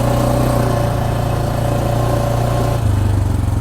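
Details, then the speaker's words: 2024 Massimo MSA 550 ATV, almost 500cc Linhai gas engine: steady engine drone under acceleration with a sudden knock and change of note as it shifts; transmission clicks and knocks, jerking on each acceleration. "so every time you accelerate that acceleration it will kind of knock knock"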